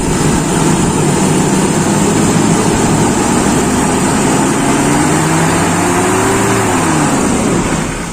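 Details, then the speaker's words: Toyota Kijang engine revved slowly by the throttle adjusting screw after distributor (delco) ignition timing adjustment; revs rise and fall cleanly without stumble or misfire, nearly perfect timing and air-fuel mixture, running smoothly. "sudah mendekati sempurna teman-teman jadi kombinasi dari bahan bakar yang dibakar campuran afr-nya itu nanti juga hubungannya dengan waktu pengapian teman-teman"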